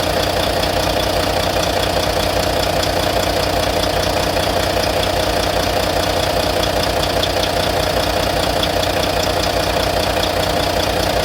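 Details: Volvo VNL truck with a D13 diesel at idle, after the injectors were replaced: crisp, very regular tapping at roughly 150 per minute over a steady idle. Owner suspects lifter noise; cause not confirmed.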